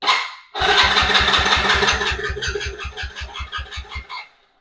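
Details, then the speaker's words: 110cc Chinese ATV with an intermittent-spark problem, cranked after a new stator was installed, the spark plug refitted, choke on and kill switch adjusted. Even thumps slowly fade over about four seconds; it never fires, cranks with no start. "Uh, nothing. That's weird. H, let me double check everything."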